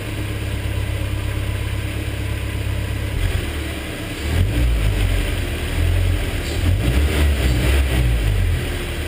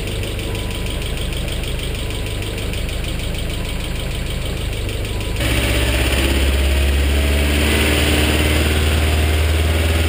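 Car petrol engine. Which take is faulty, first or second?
second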